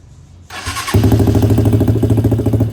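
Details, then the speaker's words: DIY go-kart single-cylinder engine after fitting a new aftermarket exhaust: catches and settles into a deep, throbbing idle with a strong low bass pulse; healthy. "Sound तो इसकी next level हो गई है, बहुत ज़बरदस्त किस्म की base आ रही है और बहुत मज़े की साउंड है।"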